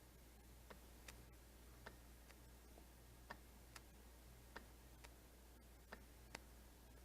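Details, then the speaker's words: Junkyard A/C compressor for a 2003 Hyundai Sonata LX 2.7L V6, bench-tested by touching the clutch pigtail to battery positive: sharp single clicks as the magnetic clutch engages each time; clutch working. "you can hear it click and that's the magnets in there inside of our clutch and it's causing you to engage so this tells me that our clutch is working"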